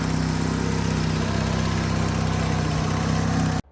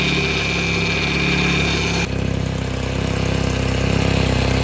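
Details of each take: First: Vauxhall Calibra under restoration, after fixing split, rotted exhaust: steady, even low idle with no puffing or blowing until it cuts off; lovely and quiet again. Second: Neglected Vauxhall Calibra revived after years dry: steady high whine over rough idle with exhaust chuff; power steering pump noisy, owner hopes it quietens with lubrication, use and warm pipework; exhaust front pipe split along its length.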